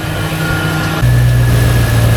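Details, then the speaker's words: Volvo Penta 5.0GXI marine engine after fuel pump replacement, not yet warmed up: a smooth, even low idle that steps up slightly; no fuel pump scream, only induction and injector noise, with a slight pulley chirp. "All right, boys. She's nice and quiet now. Give her some dry revs. Give her a little bit of RPM. She would have been screaming. That fuel pump would have been screaming by now."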